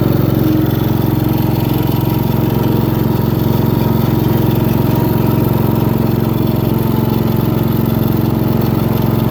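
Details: Craftsman hydrostatic riding mower with a Briggs & Stratton 15.5 HP engine, with a fresh oil change and new carburetor after sitting two years: a steady, even single-cylinder thump with no misses, knocks or rattles, running smooth.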